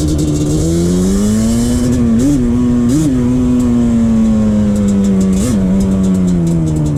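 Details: 2001 Yamaha Banshee 350 two-stroke on a POV test ride after new clamps fixed an exhaust leak, shifting early: crisp note climbing and dropping cleanly with each shift, no puffing or ticking. Normal running.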